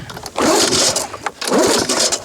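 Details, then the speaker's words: Lawn-Boy 19 mower recoil starter after WD-40 on its edge: two even rasping cord pulls of about a second each, with no catching or dragging. The starter now runs freely, much better than before. "Ah, c'est 40 fois mieux."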